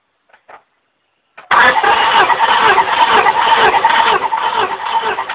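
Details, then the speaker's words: 1998 Honda Accord 4-cylinder VTEC, compression test on cylinder 2 with the ignition disabled: steady, even cranking with no stumbling; 185–190 psi, good. Another cylinder later reads only 75–80 psi, dead. "Okay. 185 to 190. Good to go on that one."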